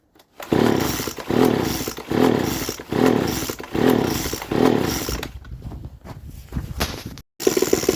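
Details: Poulan leaf blower (two-stroke) with modified, drilled muffler, full-throttle test from about five to six feet before muffler replacement: repeated harsh raspy roaring blasts far louder than stock; holed muffler letting exhaust out unsilenced.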